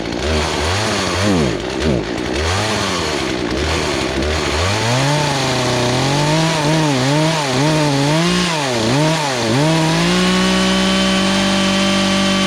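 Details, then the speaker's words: Poulan Pro two-stroke chainsaw that sat three years and never ran right, high-speed screw being turned counter-clockwise for suspected fuel starvation: revs surge and sag, hesitating on throttle blips, then settle into clean steady high buzz. "uh you don't want to be too lean or too too rich so normally with the throttle response you can see how sometimes it was bogging down you want to get it to a spot where it reacts quickly has a good response"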